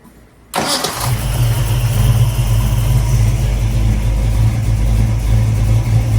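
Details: Ford Cleveland V8 just fitted with a new MSD Pro distributor and locked-out timing, about 32° on the timing light afterwards; a brief crank, then it catches at once into a deep, steady, even idle with no misses, normal start and idle.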